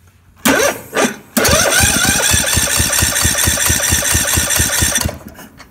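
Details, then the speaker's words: Kohler 18 hp Courage single-cylinder on a Husqvarna Z4218 zero-turn, with a new starter and battery and strong spark: the starter labors through heavy compression strokes and won't start. Compression was thought to be over 180 psi, now 150 on a taxed battery. Cause: exhaust valve guide popped up. "as soon as it has compression it has a hard time cranking over it just that was the issue"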